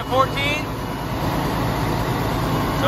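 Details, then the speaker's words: Military surplus 6x6 cabover diesel truck with batteries that won't hold charge, started on a jump starter and charging at 14 volts. Steady, even low idle rumble with no misses or knocks. Sounds good. Normal diesel idle. "we figured we tried jump starter and see what she does go for it there you go hey ron sounds good"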